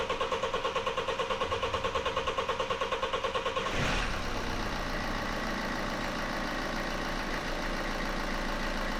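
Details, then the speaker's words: Toyota with a BMW engine, first start after timing chain replacement and reassembly: starter churns about four seconds, then the engine catches and settles into a smooth, even idle with no knocks; healthy. "Sounds great, a perfect wrap up to the job."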